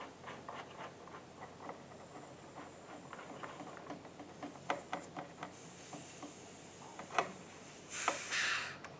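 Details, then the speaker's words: Vintage Air front runner A/C kit during test fit: light handling clicks, then a short sharp hiss as caps come off the new coil lines, venting shipping pressure as the warning tag says. "okay i'm going to open this up and you can hear it hissing it's it's a tag on it says coil coil lines are under pressure please remove caps carefully i can hear the pressure bleed out of"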